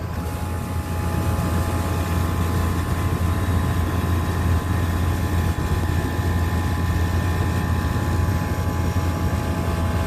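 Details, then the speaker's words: Vertiv Liebert PDX precision cooling unit, Copeland digital scroll compressor modulating around 50%: deep, steady hum with solenoid clicking back and forth; normal part-load operation. "so there is compressor doing its thing you can hear that clicking back and forth and it's this solenoid that does that"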